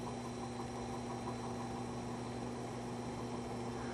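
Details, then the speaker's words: Vintage McGraw Edison box fan, loose nuts just tightened, started on low of three speeds: steady low hum with a long-standing mains buzz and even airflow; motor comes up to speed slowly on low. "that's actually not running too bad takes it some time to come up but that's actually not running too bad on low"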